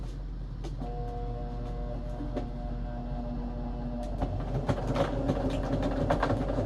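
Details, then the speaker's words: Sewing machine sewing a line through stiff acetate sheet with sequins for an embellishment box wrap: steady motor hum with an uneven thump about three times a second as the needle punches through; thumping is expected with acetate, not a fault. "You may hear it thumping because, yeah, when you sew through acetate, machine is not super thrilled of it about it, so it kind of makes some kind of thumping noises."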